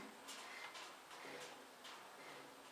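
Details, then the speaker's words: John Deere 16S steel dump cart: short dry squeaks about every half second as a wheel turns, despite already being greased; that wheel has slop and the owner thinks it needs an extra washer. "It sounds like sounds like that wheel needs a little bit of grease, but I already greased them, so I noticed that one wheel's been kind of."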